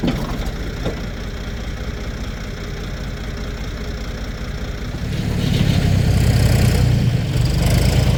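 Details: 1973 Ford 4500 industrial diesel backhoe, revived from scrap, after a day digging stumps: steady low diesel idle then clean rev-up holding even, no knock or miss; machine ran great all day.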